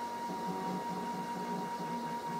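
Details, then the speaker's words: MDF CNC router stepper motor after its drive current was turned down from full power: a faint, steady high whine with a soft hum. The harsh humming disappears, since too much current had caused the noise. "the humming pretty much disappears right in that range and I think that's what the problem was I had too much power going in"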